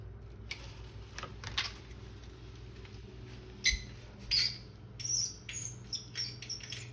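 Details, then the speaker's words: Squeaking powered blinds: faint high-pitched chirps in irregular bursts over quiet room hum as the mechanism moves; cause unclear, owner asks how to lubricate them. "Here's a squeaking you powered blind moment. Any ideas on how I can lube up a set of blinds?"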